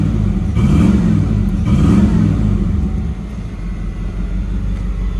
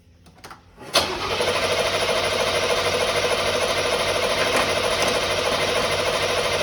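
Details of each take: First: 1989 Pontiac Firebird Formula 350 V8, 10,000 miles, long stored, after heating and tapping stuck injectors: two throttle blips with deep rumble, then a steady, even idle with no misses. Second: 1989 Firebird Formula 350, 10,000 miles, long stored: after heating gummed injectors, short crank then catches and settles into steady fast idle, injectors now passing fuel.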